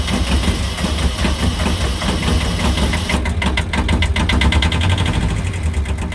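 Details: 1973–77 Kubota B6000 4WD, 2-cylinder ZL600 12.5 hp diesel, started right away after glow plugs heated, sitting since yesterday: steady even idle with a fading whirr as the electric clutch spins down; runs well, normal idle.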